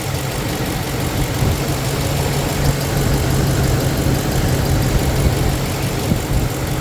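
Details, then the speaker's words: Ford 5.4 liter 2V V8 idling after head repair with Cometic head gaskets and ARP head studs, compression now 200 to 220: even smooth low rumble, no ticks or knocks, running very quiet; normal idle, no leaks. "and it actually seems to run very very quiet"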